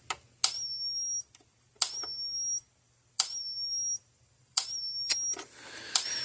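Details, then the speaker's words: 2004 Gallagher B1200 battery fence charger, case open, giving only about 4,500 volts with its indicator light not flashing every pulse: sharp, slightly uneven snaps about every 1.5 seconds with a high whine; a bad transformer is suspected, possibly the output board. "okay we were only getting about 4500 volts out of it if you look at this the light is not flashing every time"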